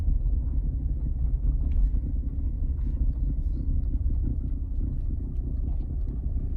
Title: Skoda Octavia 3 1 6TDI rattling sound when steering left